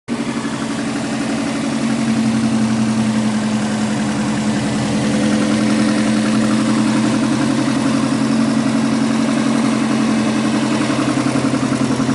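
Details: Subaru EJ205 boxer engine, 2016, 207,000 km, with an oil leak, at cold idle: a steady, quick knock of about 220 per minute over the boxer's even rumble; knocking when cold, cause unknown.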